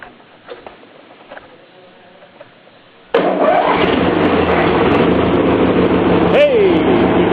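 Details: 18 hp Briggs & Stratton riding mower engine, after carburetor cleaning (mixture screw backed out 1.5 turns) to fix no-start from a clogged carburetor: catches after a brief crank and settles into a steady, even run, no stumbles; running normally.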